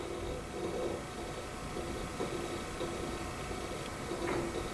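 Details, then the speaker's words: Dell Vostro PC with a newly added SSD, booting the Windows installer from USB: quiet irregular ticking in short clusters over a low computer hum; the hard drive keeps seeking though not in use. "even though we're using the ssd the hard drive is still like chugging along even though i'm not using it"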